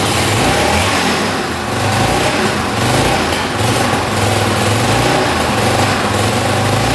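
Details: 1982 Honda XL500R single-cylinder, first start after carburetor and jets cleaned, cold-blooded, throttle adjusted slightly: steady thump, even idle with slight waver, no misses or knocking; runs clean.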